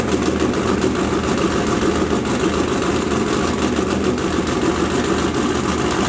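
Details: 572ci 481X race engine after the MSD ignition was reconnected: it fires and settles into a loud, even, heavy V8 rumble with no skipping or stumbling. All cylinders are firing cleanly.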